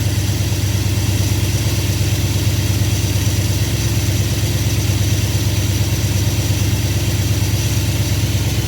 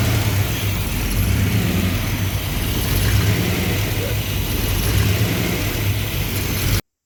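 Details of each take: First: V8 with freshly rebuilt Thermoquad carburetor at baseline mixture settings, cold: even, steady fast idle near 1,000 rpm (lower than wanted), no misses or knocks, started easily; vacuum steady 15–20; running smoothly. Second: V8 with rebuilt Thermoquad carburetor: low idle rising and falling every second or so in soft waves, won't idle smoothly, hunting; lean surge.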